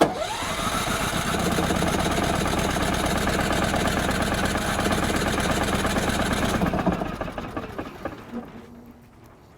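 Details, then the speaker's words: Firman WH3200iE dual-fuel generator set up for propane, choke pulled out, propane valve not yet turned on: starter churns evenly about seven seconds, never catches, spins down; no start because the fuel supply is off. "yeah it actually helps if you turn on the propane huh so let's do that"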